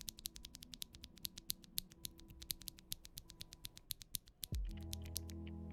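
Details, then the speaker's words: Ashkeebs Auralite linear keyboard switches, springs not yet lubed: crisp clacks with slight scratchiness on each stroke but no spring ping. "Honestly, another thing that I found is like, sure, yeah, it's a little scratchy, but actually I don't hear any pinging noise from the spring."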